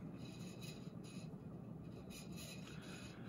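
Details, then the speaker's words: SMC A52 52-inch ceiling fan with brown ball motor, running on high then medium: quiet fan hum with a dry, scraping rasp underneath; low speed is very slow, possibly a drifting capacitor; worn fan motor bearings. "rings on this fan are just absolutely terrible as you can hear but that's uh pretty typical of smc fans"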